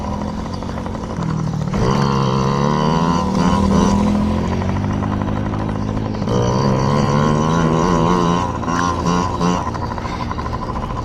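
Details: Yamaha PW50 two-stroke, just after carburetor cleaned (jets, float checked) to cure bogging and dying at wide open; warmed up, being run dry: buzz climbs cleanly through each blip, drops back smoothly, no bogging or stalling; normal revving.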